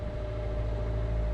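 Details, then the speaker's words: Sailboat Sparrow's auxiliary engine, run at sea in the Gulf Stream after long unused in rough conditions, with batteries low from cloudy weather limiting solar: it struggled to start, but now makes a steady, even hum with no knocks or misses. "if you can hear that beautiful humming we've got the engine running"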